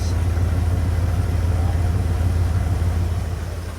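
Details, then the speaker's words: 1989 Ford F-150 XLT Lariat with the 5.0 EFI V8, dual fuel, 2WD, thought to have about 180,000 miles: a deep, even V8 burble at idle with no ticks, misses or knocks. The engine runs clean. "I cannot get over how clean this thing runs."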